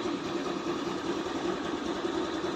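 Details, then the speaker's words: Easy Ride 150N motorcycle whose hard starting was cured by closing a too-wide spark plug gap: a steady, even idle with no misses, stumbles or surges, keeping running on its own. Normal idle. "Tuloy-tuloy ng andar. Anan tuloy-tuloy na."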